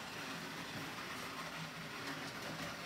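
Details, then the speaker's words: Lionel #60 trolley, 50+ years old, after cleaning and repair, test run on track, was growly before: steady electric whir with light wheel rattle and only a slight grind, running quieter; light works; normal running. "it runs a lot quieter and better a little grind to it not too bad light works great"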